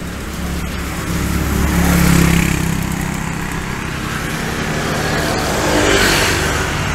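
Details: Yamaha V75 two-stroke bored up to 72cc, after repair including clutch work (complaint was weak power, poor climbing, rough and hard to idle when hot): strong, brisk revving, but a mechanical rattle remains; mechanic says a full engine rebuild would be needed for it to run truly smooth.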